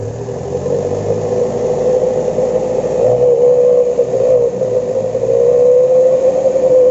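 A steady mid-pitched whistle rides over the diesel as it revs and holds with the throttle, so the exhaust whistle is sounding properly.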